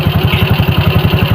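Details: Shogun motorcycle after repair of rough noise that worsened with throttle, traced to a worn crankshaft bearing: engine now idles with an even steady low thump, about twelve beats a second, no knocking.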